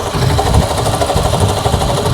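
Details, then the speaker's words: 2007 Toyota Camry, 265,406 miles, at idle, mic close to engine: fast uneven tapping over idle from front of engine; owner suspects failing water pump bearings, not confirmed; car runs and drives well. "It sounds like, the only thing I can point to, it sounds like the water pump is gone. Like the water pump is going, probably the bearings in the water pump is going."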